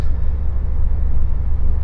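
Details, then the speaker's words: VW Super Beetle (1978 or 1979) on its original fuel injection, stock exhaust, on a test drive after the fix: ignition timing found far off and points replaced with electronic ignition. Deep, even rumble pulls smoothly, no popping or misfire. Normal running, night-and-day improvement. "it is a dramatic Improvement right now I mean just I mean night and day you wouldn't even think I was in actually the same car"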